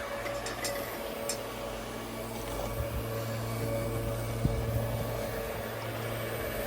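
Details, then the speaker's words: Dell PowerEdge R720 machine-learning server (NVIDIA P100 and P40 build) at power-on, phone at the back: steady whooshing fan roar with low hum, no rattles; normal fan spin-up during boot, louder than running. "you can hear just how loud it gets obviously the boot up sound's going to be louder than the running sound cuz it's going to spin the hands"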